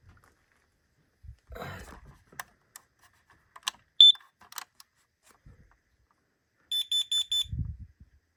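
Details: Basement smoke detector, not yet expired, tested after owner heard chirping from somewhere in the wall: test button gives a sharp run of four quick high beeps, loud and clean; alarm sounding normally.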